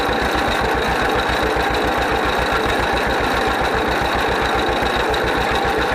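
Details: 1931 John Deere GP two-cylinder tractor, first run after carburetor repair. Slow, steady pop at about 220 beats a minute with an even rhythm; idling smoothly and healthy, smokes a little.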